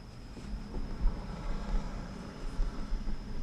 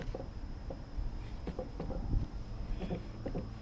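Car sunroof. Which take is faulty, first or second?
second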